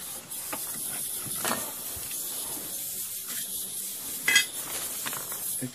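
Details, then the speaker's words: Gas boiler with no heat, bad circulator pump: spiral air eliminator vent hisses continuously with handling clatter behind, venting trapped air as the system fills, hopefully avoiding a purge. "You hear that spiral vent pissing over here. Hopefully if it works right, I don't have to purge the system."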